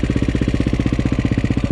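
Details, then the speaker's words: Cold KTM 530 EXC-R single started on choke in December: fast even thumping with light chain rattle each beat, cam chain slap from the hydraulic tensioner lacking oil pressure when cold oil is thick. "you hear that chain tensioner a chain tensioner makes way too much noise in these bikes because it's a hydraulic chain tensioner it relies on the oil pressure inside the motor to tighten the cam chain"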